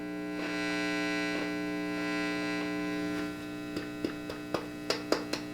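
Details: Fender Custom '68 hybrid tube/solid-state guitar amp after repair, hooked back up to the speaker with power amp, preamp and reverb working: steady low buzzy mains hum, then a few light ticks and pops as controls are touched.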